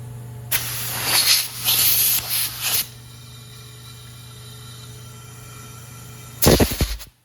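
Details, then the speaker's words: Boosted Honda S2000 engine, a customer car idling rough, pressurized for a leak test: a steady loud hiss as boost pressure escapes past the rings and pressurizes the crankcase, indicating excessive blow-by. "you can even hear it so it sounds like we have pretty excessive Blow by in the motor"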